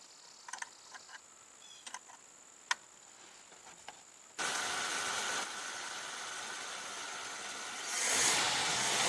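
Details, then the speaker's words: Jeep 4.2 L (258 cu in) straight-six after new exhaust manifold and new replacement carburetor without ECM electronic adjust, plus rewiring and vacuum hose work: a few quiet clicks, then it catches and runs steadily with no ticking or puffing from the manifold. "so I'm going to fire it up here and let you hear it run cuz that's all that's left"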